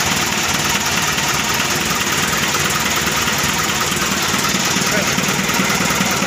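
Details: Mitsubishi Colt Diesel FE 1981 truck, new direct-injection 100PS block (formerly indirect), freshly started after fuel bleeding: steady, even idle clatter with no knocks or misses, smooth running; slight hose leak fixed by tightening clamp.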